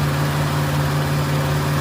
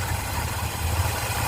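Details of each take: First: Ford Fairlane on the first start of a new Holley 500 CFM carburetor: fast, steady, even drone well above normal idle, reaching about 3,000 rpm, because the throttle linkage holds the throttle slightly open; linkage adjustment needed. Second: Ford Fairlane V8 with a new Holley 500 CFM carburetor and manual choke, started with the key, tach reading about 700 rpm (owner plans to raise it slightly): steady, even low rumble with no misses, knocks or hunting; smooth idle.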